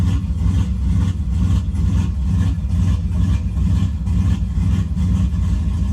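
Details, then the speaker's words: Turbo GMC truck engine on a cold start. The idle hunts and surges unevenly, timing is correcting, and the O2 short-term trims add about 25% fuel because it reads lean. The surge steadies as it warms; the cause is unknown and the owner suspects tuning. "Timing's trying to correct the idle. I mean, things are just going crazy. You see, it thinks it's lean. It kind of is."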